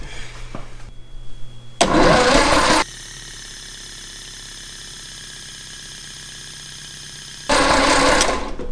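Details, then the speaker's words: 1962 Austin Healey Sprite MkII engine after 10+ years in storage, cylinders oiled and WD-40 sprayed, starter on direct power, no ignition or carburetor fitted: two one-second cranking bursts, no firing, turns over freely while oil pressure primes. Normal cranking. "hey we got oil starting to come out the fittings here we have oil pressure"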